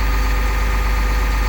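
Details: 2001 Cummins 8.3L ISC diesel with CAPS injection in an RV, after replacing the engine speed sensors: idling back down from the 1000 rpm fast idle, no codes. Deep, steady rumble with an even beat and no knocking or hunting. Healthy.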